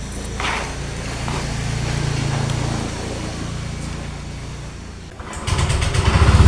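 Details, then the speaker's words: Honda Vario 125 scooter at idle: uneven tak-tak ticking under the low engine hum that disappears when revved; CVT front pulley knock from a worn roller housing bushing and dented rollers. "jadi di sini ketika stasioner ketika langsam di sini bunyi tuh tak tak tak jelas kedengaran teman-teman ya"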